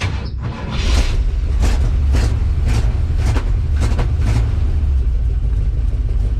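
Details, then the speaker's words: 1962 Chevrolet C-10 4x4 truck engine idling smoothly with a steady, even low rumble and no knocks or misses after new battery cables, fuel down the carb and advanced timing; oil pressure showing, checked for freeze damage. "Look at that, just idling. We're making oil pressure."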